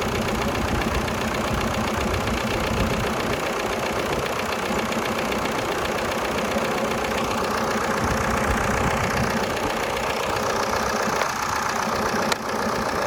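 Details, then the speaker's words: 1996 VW Passat TDI diesel, bought running and towed home, first start on jumper cables: a steady idle clatter under a harsh, loud, unmuffled exhaust roar. The owner says it needs a muffler. "okay so apparently we need a muffler it's not a big deal"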